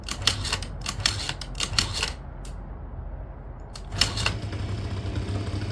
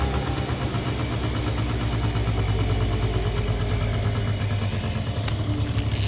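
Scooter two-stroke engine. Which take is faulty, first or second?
first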